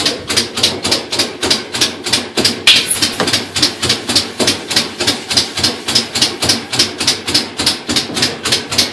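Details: Direct-drive top-load washer, just after replacing a split motor coupling: loud regular clicking on every agitation, about two per second, in agitate; spin then ramps up slowly, clicks rising with speed; mechanical clicking fault, cause not pinned down.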